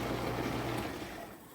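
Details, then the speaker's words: Whirlpool Quiet Partner dishwasher after cleaning a clogged filter screen (chopper blade broken, replacement ordered); steady low hum with water rush, no grinding or rattle, tons of pressure where it barely sprayed before; normal wash pump operation. "so everything sounds like it should tons of pressure before it was barely before when this unit would run it would just barely shoot up any stream"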